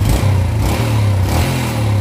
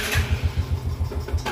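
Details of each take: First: Yamaha Jupiter Z after repair of severely weakened compression: quick throttle blips pick up cleanly, then it settles into a steady, even idle without stalling. Before the repair it died at idle; the idle is now normal. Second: Yamaha Jupiter Z, fine cold but stalls when hot: after a sharp throttle blip and release, throbbing pulses slow and die. Power is weak on climbs and air seems pushed back toward the carburetor.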